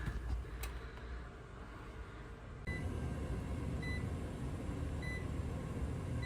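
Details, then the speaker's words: Trane XR furnace being diagnosed for a suspected bad control board, R jumped to W to call for heat, amber light on: inducer motor starts and settles into a steady, even hum with no rattle or scraping; runs normally. "But you guys seen the voltage inducer kicked on. We'll run through the whole setup to make sure it's heating."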